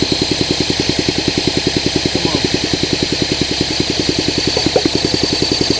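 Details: 1971 Honda SL125, long-stored, new battery, idle and air screw turned up, no working throttle cable: lumpy single thumping about 3.5 beats a second that won't settle into a clean idle. Rough running, cause unconfirmed.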